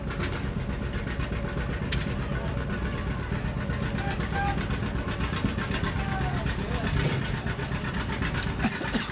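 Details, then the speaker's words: Old John Deere two-cylinder "popping Johnny" tractor, styled 1939, sideways engine with outside flywheel, running healthy: slow loose pop-pop exhaust beat about four per second over crowd murmur. "A's the B's and so on are what they call popping Johnnies they go pop you can hear them two cylinder the engine sits sideways the flywheel is outside"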